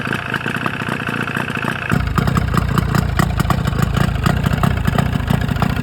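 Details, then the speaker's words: 1995 Force 40 hp outboard after a rebuild for water in the cylinders: it clatters at low speed with a lumpy idle, then turns louder and harsher. It runs worse than before; owner suspects the RTV crankcase seal failed. "sounds a lot worse um so I'm thinking I didn't quite get the uh crank case sealed these two halves are just sealed with RTV on this outboard so it's very possible that something went wrong"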